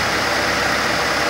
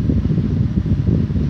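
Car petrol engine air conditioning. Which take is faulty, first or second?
second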